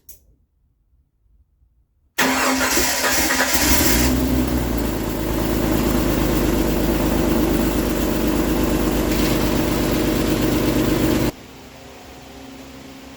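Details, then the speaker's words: Jeep YJ Wrangler first run after four years: catches and settles into a fast idle with a light, steady ticking clatter over the exhaust; owner blames past redlining and overheating, cause unconfirmed. "it takes throttle too it's actually a little noisy um as far as like it sounds like it's got some clatter but putting it to the to the red and uh just letting it eat limiter will do that to you"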